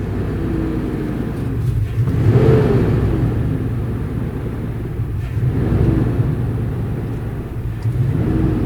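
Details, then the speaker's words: Auction-bought vehicle run after sitting a while: engine hunts and surges, revs wandering with hesitation; scan shows bad O2 sensor readings and throttle at 19, owner suspects throttle position sensor; cause unconfirmed. "all right so we entered some real crappy running of this thing after letting it sit here for a little bit"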